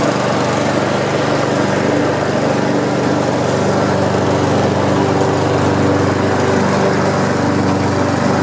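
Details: Almost-new Honda HRX217 mower with twin blades, stress test after fixing an oil leak under the engine and checking the blade clutch: steady, even buzz holding speed with no misses or knocks; healthy smooth running.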